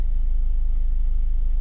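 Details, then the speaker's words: Ford EcoSport 1.4 diesel after faults cleared: the earlier vibration is gone; a steady, even smooth idle with no skipped beats and all cylinders firing cleanly. "ఇందాక vibration అయింది కదా చూడండి ఎలాంటి missing ఇట్లా ఏం లేదు చూసారా సైలెంట్ గా ఉంది ఓకే"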